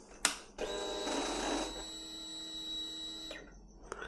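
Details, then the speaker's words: 2004 Kawasaki ZX6R (636) with persistent FI light, exhaust valve servo after reset: short click, then steady electric motor whine for nearly three seconds before stopping at end of its travel; exhaust valve servo running to end stop. "So, it sounds like it's it's the end of its travel if we can undo it and see if that helps in any way."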